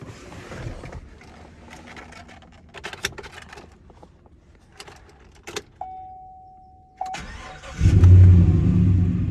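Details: Damaged 4x4 four-door salvage-auction truck with deployed airbags: key chime, short crank, then it catches and settles into a smooth, steady idle with no misses or knocks; normal start.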